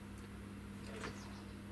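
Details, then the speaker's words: Kalk King reactor wet test, pumps sitting in a water container: the bypass pump, supplying only RO/DI water rather than kalkwasser solution, runs with a quiet, even, constant hum and no rattle or surging. Working properly, and noise is not an issue. "that is the bypass pump so that is putting just ro/di in and not not the counter-isil solution so that does appear to be working properly"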